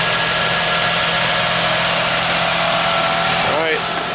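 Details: 2001 Toyota Sienna after a no-crank was fixed by replacing the starter: steady, even idle with a smooth hum and no knocks or grinding; runs normally.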